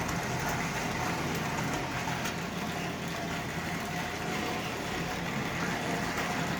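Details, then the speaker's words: Lionel 33 standard gauge locomotive with a Marx motor at very low transformer setting: an even, steady whir with light wheel squeak and no stutter or catching. Running perfectly, no problems. "So as you can see, this locomotive is running just absolutely perfectly. No problem with this at"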